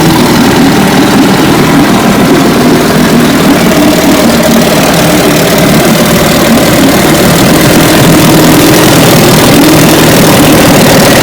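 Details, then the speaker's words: 1957 18 hp Johnson two-stroke outboard, restored, running in a test barrel; loud, even buzz at steady speed with no misses or knocking. It passed the barrel test. "as you can tell she's a beauty once again uh destroyer 106. 1957 18 horsepower johnson passed the barrel test"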